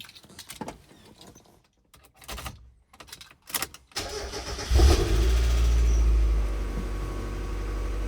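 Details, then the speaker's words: Mazda Miata cold start just after swapping back to stock exhaust headers to pass smog: cranks briefly, catches cleanly, slightly high cold idle, no misses, no check engine light; carb cleaner and WD-40 burning off. "seems to be doing just fine a little high on the RPMs but it was a cold start so far so good no check engine light"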